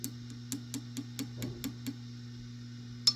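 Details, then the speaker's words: Vox AC15 tube amp tap test. A steady mains hum with a sharp click through the speaker at each tap, about four a second, suggests the 12AX7 preamp tube under the cover is microphonic (uncertain). It was replaced with ECC83s. "oh we've got microphonic folks yep hear that so I'm going to turn it up a lot"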